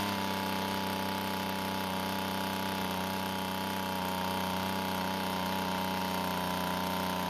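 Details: Two-stroke blower after fixing its leaking gas tank by replacing the fuel and return lines to the carburetor: steady high-revving drone holding one even pitch with no surging or sputter, running normally.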